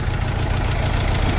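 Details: Mercedes Sprinter diesel van just after injector replacement and coding; lumpy idle with lopsided beat as one cylinder drops out, definitely missing; smooth-running correction for cylinder 2 out of permissible range; misfire on cylinder 2.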